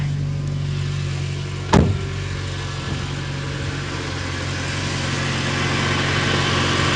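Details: Cold start of a new UAZ Patriot with automatic transmission and ZMZ-409 engine at about −4 °C after sitting overnight: a steady, even idle with a smooth low hum and no ticking or knocking. Presented as normal, countering comments about hydraulic lifter clicking.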